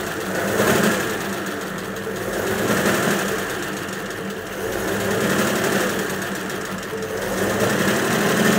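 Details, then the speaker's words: 1941 Ford pickup flathead with a temporary condenser wired in runs at an even, steady idle with a light regular tick and no misses, after earlier running badly and refusing to rev. "so just turn the ignition on okay that's running all right"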